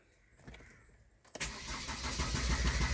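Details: 2010 Chevrolet Captiva that cranks but won't start, with stored codes including fuel pressure regulator solenoid 1 performance, ignition relay feedback and lost ABS communication: steady cranking about three beats a second that never catches.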